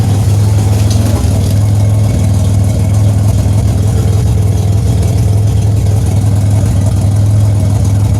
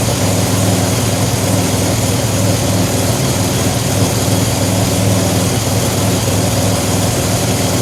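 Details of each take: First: 2007 Grand Prix with ZZP XPZ cam, cold start, heard at rear: steady idle with deep fast puffing chuff; exhaust escaping at flange with no gasket fitted yet. Exhaust leak. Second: 2007 Pontiac Grand Prix with ZZP XPZ cam, timing chain just corrected, 50 psi fuel pressure, warming up: deep steady idle with slight cam lope, no knocks or ticks; normal cammed idle, exhaust flange gasket not yet fitted.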